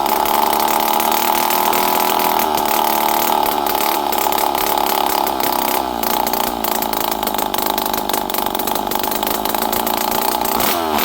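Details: Poulan 5200 Counter Vibe chainsaw, unrun for 5-6 years, on the bench after carburetor screws were set around half to 1.5 turns, with no muffler. A steady high-pitched scream with small rev rises and dips, clean and even with no misfire. Normal running.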